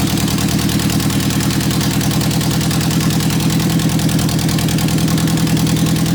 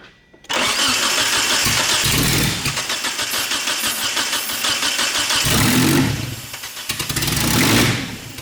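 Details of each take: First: 1991 Eagle Talon TSI AWD, first startup after sitting months and a new fuel pump fitted: loud, even engine pulse at steady idle with no misses or knocks; normal idle. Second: 1991 Eagle Talon TSI AWD at its first start attempt: starter churns for seconds with weak catches that never take; spark present but no fuel despite fresh fuel; owner suspects injectors not firing, and the fuel pump is later replaced.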